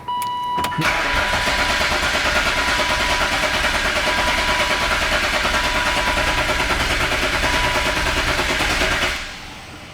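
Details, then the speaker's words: BMW E36 M3, unrun for 4 years. A chime, then a loud, fast, even starter churn for about eight seconds without catching; the starter is noticeably loud. "Starter's loud. It is loud. Starter is loud."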